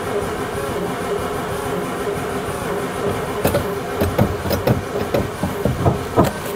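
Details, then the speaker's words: 1950s Daimler Consort barn find, sat for decades: the starter churns steadily, then uneven chuffs that never catch despite brake-cleaner spray. It cranks but won't fire. "à được rồi rõ ràng là nó không bắt đầu vào lúc này nên cũng có thể chỉ cần kiểm tra tia lửa có lẽ đó không chỉ là nhiên liệu nên hãy kiểm tra tia lửa trước và ừ xem xem điều gì sẽ xảy ra tiếp theo."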